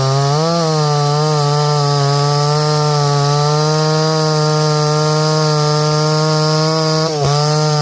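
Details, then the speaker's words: Stihl 024 AV WoodBoss chainsaw after high-speed jet tuning: holds a high steady tone through the log cut, dipping slightly under load and recovering cleanly; runs pretty good. "Runs pretty good."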